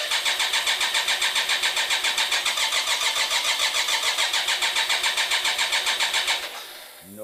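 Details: BMW K-bike with horizontal cylinders after winter storage, choke on, fuel pump running: even starter cranking about three and a half turns a second that never catches; dry, compression-less cylinders, fix is adding 10 cc oil per cylinder.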